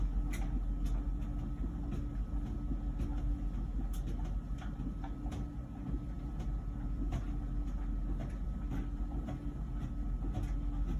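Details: About a year old LG Wash Tower WKHC202HBA heat pump ventless dryer: steady low rumble with soft, loosely spaced thumps from the tumbling load and no buzz yet, before the new buzzing appears; normal tumbling.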